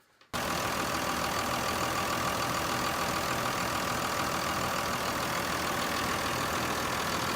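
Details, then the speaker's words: Cummins diesel truck warm idle on plain diesel fuel without additives, about 85.3 dB versus 90.6 dB at cold start; even, steady diesel clatter with no misses or surges; normal warm idle. "now when it's idling and it's warmed up you're looking about eighty five point three decibels so about five decibels quieter than cold start"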